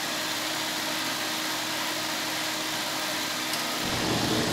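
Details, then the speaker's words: Kerosene/diesel forced-air heater powered from a small 400 W modified sine wave inverter on a car battery: fans run at normal speed, steady fan hiss, then a soft roar swells as the igniter lights the flame; clean ignition. "the fans sound like they're exactly as loud running exactly as fast as they would normally and we'll see how it starts up here in a couple of seconds just igniter"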